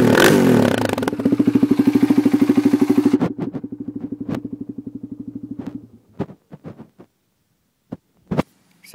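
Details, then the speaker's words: 2004 Polaris Predator 500 single-cylinder catches and settles into an even, steady thumping idle, with no knocks or rattles, then shuts off; sounds healthy. "it sounds sounds pretty good and there's the video of my 2004 poers Predator 500"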